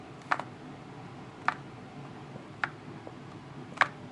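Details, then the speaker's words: 2015 MacBook Pro, new: lightly tilting it side to side makes a loose part slide and strike inside the case with sharp, light ticks about once a second, fairly loud and easily noticeable. "so as you can hear there's clearly something moving around inside of the laptop you don't need to kind of shove it to one end just lightly tilt it from one side to the other"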